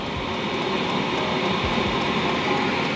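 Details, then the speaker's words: HCalory diesel heater in a van at 24° outside, operational test blowing hot air, no carbon monoxide bleed-through detected; steady even rush of fan and burner, no knocking, ticking or surging, very quiet; normal running. "we got the hot air coming out we're just trying to test it right now and see how it uh how this thing's performed and look how quiet it is"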